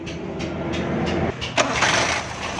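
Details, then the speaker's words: Suzuki FX 796cc petrol/gas car that wouldn't start because gas and petrol both entered the carburetor; with gas shut off, starter churns briefly, engine catches at about 1.5 s and settles into steady running on petrol; normal start. "दोस्तों, ये हमारी गाड़ी स्टार्ट हो गई है।"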